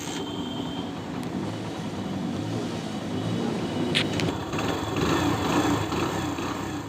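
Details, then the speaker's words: Hero Honda Splendor Plus single-cylinder engine running with magnet and coil plate removed: loud, busy, uneven metallic clatter from a loose, slack timing chain. "इसके engine का sound सुनो आप लोग कितना ज्यादा engine sound कर रहा है चलो ये चेक करते हैं क्यों कर रहा है तो यहां पर टाइमिंग चैन देखते हैं लूज है क्या बहुत ज्यादा लॉस है"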